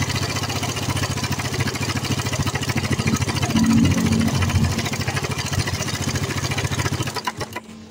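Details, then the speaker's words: Suzuki Satria FU150 motorcycle idling before teardown, with a complaint of noise from the front of the engine. A rough, uneven tapping rattle at about three per second; the mechanic says it is not pinging but a swinging "tek tek". He suspected camshaft, shims or cam chain. Loose cam chain rattle. "Nah, jadi suaranya itu bukan ngitrik ya. Suaranya itu semacam ada ee goyangan ya. Semacam ada goyangan."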